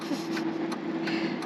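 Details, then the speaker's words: 1998 Mazda B2500 pickup driving: steady mid-pitched whine constant over road noise; source unknown. "constant whining sound so it could just be because it knows it's not as good as a ford ranger i would cry too"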